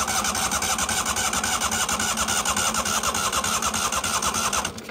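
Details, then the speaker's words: Neglected 1998 Yazoo YTKC22 three-wheel mower after spark plug cleaning; earlier start attempt shot fire out the top. Labored, uneven cranking about three turns a second, whirring starter dies off, engine won't catch; owner thinks battery killed again. "and I'm pretty sure I just killed the battery again but we'll see one last time whether or not she decides to"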